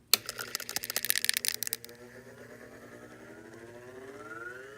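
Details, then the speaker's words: Antique Westinghouse Vane 220 V fan tank motor with centrifugal start switch, slip rings not yet connected: a few clicks, then a quiet hum rising steadily as it spins up to full speed; healthy start. "There it goes, full speed. And listen carefully for when the centrifugal start switch re-engages when you're drifting to a stop."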